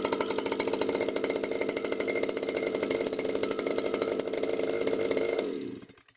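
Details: New Stihl FS 120 two-stroke trimmer that wouldn't start after break-in, running after its faulty spark plug was replaced: fast, even buzz with a steady high whine for about five seconds, then shut off. Runs cleanly.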